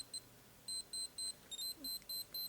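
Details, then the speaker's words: Minolta X-600 film camera with audible focus confirmation switched on: rapid piercing beeps, about four a second, warning that the shutter time is too short. "słychać piszczy czas za krótki"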